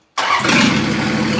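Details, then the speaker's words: 1954 Ford F600 body on a 1995 Toyota Coaster bus chassis: the diesel catches instantly on start and settles into a strong, even, steady run with no stumble; a normal healthy start. "Hey! Hey! We have a running Frankenholer. We have wipers that work."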